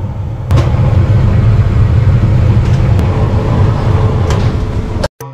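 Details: Maytag dryer after disassembly and repair of a loud, ugly running noise: the drum tumbles with a steady, even low rumble, free of squeal or grinding.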